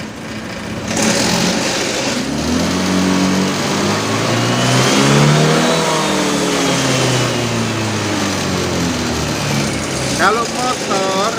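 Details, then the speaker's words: Honda Vario LED motorcycle checked with an MST autoscan: revs climb unevenly and stumble with a rough note as the throttle opens, with a pause before picking up; it bogs lean off idle. "mendengarkan aja dari atraksi awal mesin itu terasa beku ada suara nggak enak gitu loh nggak seperti loncatan ibarat orang loncat cepet jadi ada jeda"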